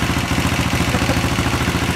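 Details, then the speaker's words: KTM 525 RFS dirt bike engine, just reassembled with a replacement flywheel after a stator was draining batteries, started with the button: a quick, even thumping idle with a light mechanical rattle, normal for RFS motors. Running good. "gotta run it even sounds good it's a little rattly just like they're supposed to sound for the RFS Motors I swear the loudest Motors ever"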